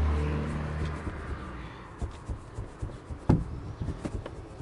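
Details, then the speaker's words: Lada Vesta rear seat rocked by the headrest: irregular light plastic-and-metal clicks from the seat latch loose in its striker, heard over bumps when the body is cold; too much play, fix planned with padding. "по сути это шумит вот этот замок получается если берем за подголовник"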